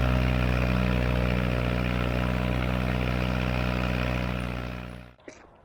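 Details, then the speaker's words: Tractor after a tune-up (hydraulic fluid and filter, spark plugs, O-ring, air filters) on a test drive in what the driver guesses is fifth gear: steady low drone pulling hard with even firing and no knocks, then it cuts off; healthy under load. "I wanted to take it up to the shooting range, make sure it was going to be able to handle these hills all right, and I mean, it handled it better than I could have imagined."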